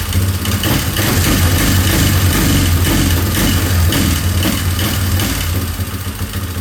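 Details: 2003 Yamaha Wolverine quad: deep single-cylinder thump about four beats a second, uneven and lumpy with stumbles; owner suspects cam timing and plans to recheck it. Rough running.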